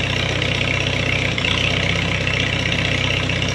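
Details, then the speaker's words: 1939 Farmall H four-cylinder after tune-up with new plugs and wires, timing redone, new gas, previously missing: even steady idle, no misses or stumbles; running good, owner suspects the wires were the cause. "running good go get the arrow I'm guessing it must have been the wires when I got shocked"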